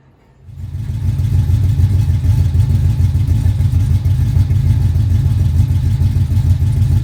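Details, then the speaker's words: 1968 Camaro V8, second start-up, Holley EFI without correct injector data: brief crank, then fires into deep steady even burble at idle still needing adjustment, no ticking or knocking; slightly smoky from oil in cylinders, oil pressure error; normal idle. "But sounds great. A little smoky, but it sounds awesome."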